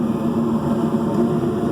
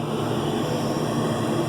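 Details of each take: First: York gas pack furnace, previously misdiagnosed with a condemned igniter assembly: flame sensor heated and sent microamps to the board, which opened the main valve; burners fire with a steady, even, clean roar, no popping or flutter; normal burner operation. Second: York gas pack furnace calling for heat, with the igniter assembly wrongly condemned; the inducer hums steadily with no spark ticking, no gas and no burner whoosh because the plugged pressure switch port keeps the switch open.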